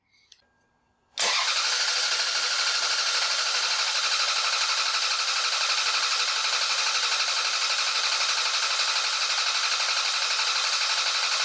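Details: Common Toyota/Lexus engine with EFI relay removed so it cannot start, cranked 15 seconds during battery and starter voltage testing: steady, even cranking whir at about four turns a second, no dragging; normal cranking.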